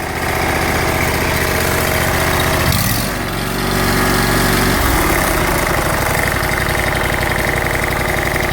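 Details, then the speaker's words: Exmark zero-turn with Kawasaki FH580V 19 HP V-twin after fixing surge and rough idle by installing a missing Welch plug: steady, even low-throttle running, no surging. "let's see what it sounds like when I start her up little joke little throttle real nice"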